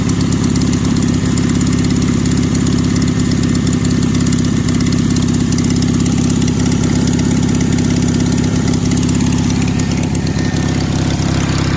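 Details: 1965 Cushman Truckster with an 18 HP OMC engine, after a cylinder jug swap, new spark plugs and carburetor tuning, started on choke: steady, even low putter with no misses or knocks; a smooth, healthy idle.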